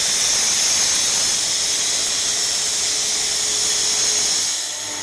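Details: Renner RS TOP 7.5 kW screw compressor, about 1 m³/min, built 2013, just under 5,000 hours, freshly serviced with new separator and filters: steady loud airy hiss with a faint even hum, no knocking or rattle; running normally.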